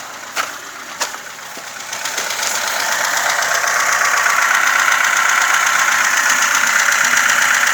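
Steady light ticking around four per second over a smooth idle, sitting up high and not deep; sounds like valve clatter from the top end.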